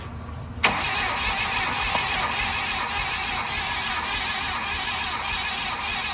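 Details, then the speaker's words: Freshly rebuilt 1000 hp Mitsubishi engine, not yet started, rings not seated, cranked via jumper cables on the starter during a compression test (120 psi, was 100). Even, steady cranking about three beats a second with no drag. Normal cranking. "but cranking it over it sounds good doesn't sound like honey Dead song"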